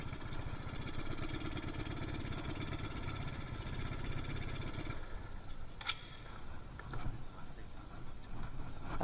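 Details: Yamaha Mio Soul carburetted scooter with no power above half throttle: the engine drones evenly, then loses its beat and dies after about five seconds. A rich, boggy stall, too much fuel.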